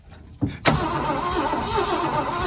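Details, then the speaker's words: 1979 Ford truck with a destroyed engine: a couple of hard thumps, then the starter grinds in an uneven chugging rhythm, turning over but never firing; piston heard squeaking internally, overheating doubted. "Let's try cranking it right away now. Up in like a deep fryer in a McDonald's on a Thursday evening. Yeah, I don't know about this, guys. She's trying. He's trying."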